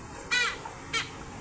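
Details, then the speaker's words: 18-inch Hanabishi stand fan motor, previously noisy like metal scraping, shaft turned by hand: two short, sharp high squeaks from the worn shaft bushing rubbing on the shaft. "Ayan kung mapapansin niyo po yan pag iniikot po ng kamay ko may tunog talaga ang kanyang shafting busing."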